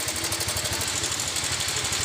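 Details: Yamaha Fino 125 scooter idling with a fast, even metallic tek-tek from start-up, heard on both sides, over a buzzy exhaust; blamed on CVT damage or a failed automatic cam chain tensioner.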